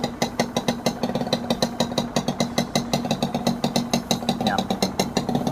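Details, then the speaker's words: Honda NSR 150R two-stroke in original factory condition at a low, steady idle: quick even exhaust popping with no knocks or misses; quiet, original-seeming engine, healthy. "เงียบจิ๊บเลยเครื่องน่าจะเดิมๆนะ"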